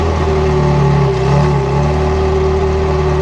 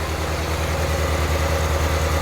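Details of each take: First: 1994 Euro-spec Ferrari F355 after service: smooth even note while cruising, no stumble at low revs; the earlier hesitation and breakup up to about 1500–2000 rpm is gone. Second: Euro-spec 1994 Ferrari F355 2.7 with Capristo exhaust and unknown cats, at idle, earlier O2 sensor faults and poor spark plugs: uneven stumbling idle with periodic skips, rough-running rattle on the side; misfiring.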